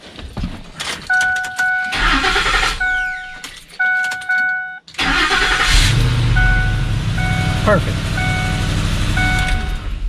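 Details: 2005 Ford F150 after starter replacement, corroded starter wire lug repair and cleaned battery terminals: a couple of chimes, brief starter crank, engine catches at once and settles to an even idle; healthy start.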